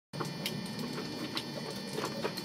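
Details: Subaru Impreza RS boxer engine after a rallycross: sharp, uneven ticking knocks hammer steadily over a rough idle with no let-up; rod knock.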